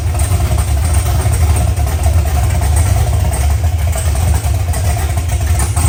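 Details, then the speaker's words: OBS pickup V8 at first start-up, idling on open headers with a loud, deep, even rumble and no misses; it sounds healthy. Air-fuel ratio readings swing and read dead lean because the O2 sensor sits close to the header outlet. "that sounds healthy [Music] [Music] [Music] well it runs"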